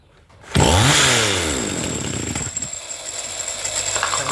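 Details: Chainsaw MC 15841 that would not start, after carburetor cleaning to clear a clogged fuel passage/filter: fires on the pull, spins up sharply and settles to a steady buzzing idle without stumbling; normal running.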